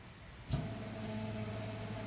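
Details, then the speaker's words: 1986 Chevy Suburban, LS-swapped, newly installed fuel tank, key on without starting: a clean, steady high-pitched hum starts abruptly and holds even; in-tank fuel pump priming normally. "I want to make sure the pump everything is working all right Parker just turn it don't start it you can hear it running"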